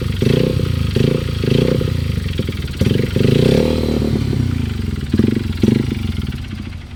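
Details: Honda XR150L single-cylinder: deep thump with heavy clattery knocks surging on each throttle blip; engine knocking, cause not yet found.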